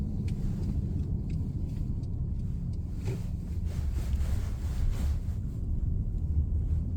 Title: 2015 Honda CRV Touring Loud/Humming Noise coming from the back